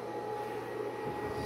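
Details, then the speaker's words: Tesla battery modules (26.5 V and 25.2 V) being discharged at a 1500 W load so they can be voltage-matched before paralleling. The cooling fan kicked on: a soft, steady airflow hum with no rattle, running normally and holding its own. "So I hear the fan kicked on. It's blowing nice and cool. So at 1500 watt load, the fan came on, seems to be holding its own."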